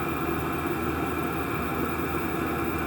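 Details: Chinese diesel air heater run two winters on waste engine oil and other oils, after clean-out: steady even fan and burner roar, no pulsing or sputter, running normally; slight smoke, likely residual from pipes.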